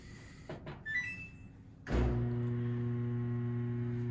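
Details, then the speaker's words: Samsung dryer DVE45T3200W/A3 that won't run, power verified: after a button chirp a loud steady electric hum starts but never winds up, possibly a motor or blower problem. The first check is down the lint trap. "you can hear that it sounds basically like it's wanting to come on but something is preventing it from happening so you could have a motor blower problem something like that"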